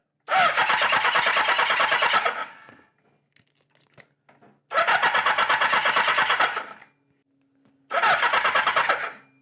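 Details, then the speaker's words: 1977 four-cylinder bike (KZ1000 or CB750) cold-started without the enricher (choke). Three short bursts of about two seconds each catch briefly and die back to silence, so it stalls without choke. "Let's try it without the enricher and see what happens. Contact."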